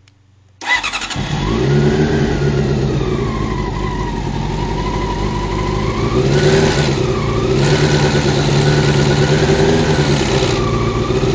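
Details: Honda CBR600 F1 starts and holds a fast idle with a busy, rattly clatter over the engine note through the revs; the problem was found to be the cam chain tensioner.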